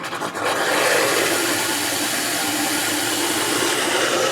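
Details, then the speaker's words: EcoWater ETF AIIF9-115 Birm iron filter, restarted after birm and gravel replacement, in a manual recharge. Steady hissing rush of air and spitting water through the valve as air purges from the line, taking a few minutes to clear; normal regeneration. "And you can hear all the air coming out of the line. That'll take a few minutes to get that air cleared out of there."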